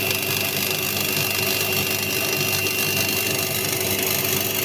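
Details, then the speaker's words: Candy washing machine showing error E08 (motor rotation or tachometer fault), back panel off, mic close to the motor, empty drum turning: steady hum with a harsh, irregular crackle and fizz; abnormal motor noise from worn carbon brushes sparking. "En tout cas, il y a un bruit anormal dans le moteur."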